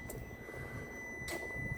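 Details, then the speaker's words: Bus master run switch turned on: sharp relay clicks about half a second apart over a steady high tone, the two clicks of a newer bus priming engine, computers and systems (older buses click three times); normal priming. "Newer buses, it'll click twice. What it does is prime everything in the engine, the computers, gets everything ready, and everything in the bus."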